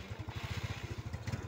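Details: Motorcycle with a battery that keeps going flat: even, steady low thump at about fourteen beats a second, no misses or knocks; idles cleanly, charging judged still good.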